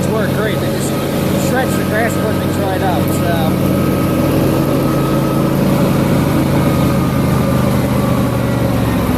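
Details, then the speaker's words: John Deere LA150 lawn tractor nearing 300 hours, mower deck with Gator blades: steady engine drone under loud, even blade whoosh, no bearing growl or knocking; two spindles replaced, bearings don't need replacing yet. Normal deck running. "yeah like I said the mower deck's a little loud but the I've replaced two of the spindles since I've had it"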